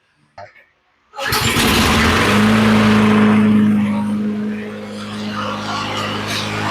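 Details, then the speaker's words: Toro Recycler mower after replacing soft carburetor/choke springs (about 10 years old) with stronger ones: starts after a short pull and settles into a steady, even drone, running normally; jet cleaning alone hadn't fixed hard starting. "And that sounds really good."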